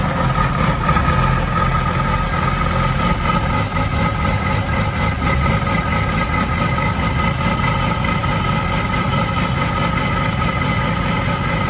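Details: 2006 Yamaha R6 RJ11, 20,000 km, cold start: coarse sawing rasp over a steady inline-four idle, not every time; also returns for 10-20 seconds after the warm engine cools for 15 minutes. Cause undetermined.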